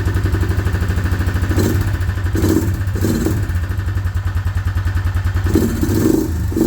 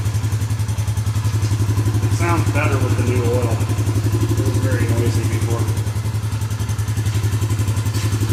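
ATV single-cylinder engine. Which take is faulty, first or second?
first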